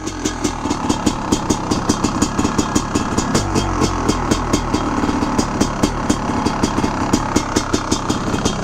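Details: Rebuilt 1995 Honda CR500R two-stroke, Miller Race Engineering modified engine with decompression release, on frozen grass; crisp even popping at steady idle, a few sharp cracks a second, no stumbling, healthy.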